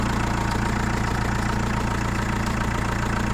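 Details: Chrysler Voyager 2.8 CRD diesel, cold start after a couple of months unused: cold idle with steady even knock about three or four per second over the clatter; source unknown.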